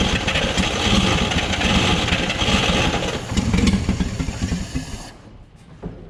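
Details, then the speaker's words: 1959 Chevrolet Apache, original straight-six with one-barrel carb, revived after roughly 36–40 years sitting: lumpy, uneven running that surges and sags, then dies after about five seconds; won't idle, owner suspects the idle circuit. "So close. So yeah, it does run. Not really the end game I was hoping for, but it does run."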